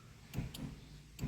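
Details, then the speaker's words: 2010 Fiat Linea, newly wired center console trunk button activating motorized trunk release: two pairs of crisp, quick clicks about a second apart from the trunk over a quiet background; trunk release actuator working normally. "Ses geliyor bagajdaki Ses Bu da aktif durumda"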